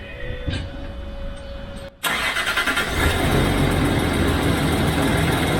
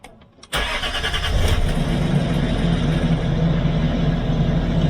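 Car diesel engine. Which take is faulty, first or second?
first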